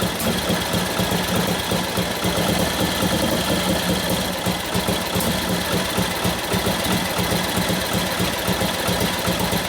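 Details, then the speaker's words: Newly built 1941 Harley WLD 45 flathead stroker, 56 ci, custom motor running after mixture adjustment; loud lumpy V-twin beat with busy valve-gear clatter, peppy and revving up nicely with cams kicking in; normal running. "Pretty peppy. Get the cams kicking in. It sounds good. It's got some cams in there, you can tell. It revs up nice."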